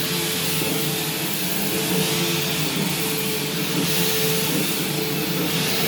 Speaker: so this thing does work and it has cleaned pretty well but it's very loud and it doesn't seem loud in like a defective sense it actually does seem like it's fully working these are just loud machines